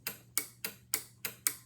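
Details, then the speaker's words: Eight-pin PCB relay with its coil (pins 2 and 7) energized from a bench power supply: crisp, evenly spaced clicks, about seven in two seconds, as the normally closed contact opens; normal relay switching. "is clicking okay additionally you can see the LED in the top saying the code is energized"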